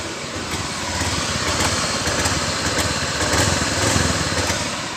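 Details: Honda Beat Pop scooter: starts and idles normally but surges and stumbles with lost power when throttle opens; low fuel pump pressure suspected. Hesitation from low fuel pressure.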